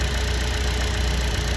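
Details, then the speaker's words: Buick Encore Ecotec after replacing both coolant temperature sensors (code P00B7, false overheating reading, long cranking to start): starts right up, steady low even idle hum with faint constant tone, no misses or knocks; normal idle. "boom she started right up I'm pretty good right now it's awesome that's more like it yup it's wor"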